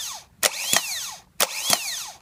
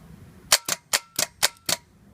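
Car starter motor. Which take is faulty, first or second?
second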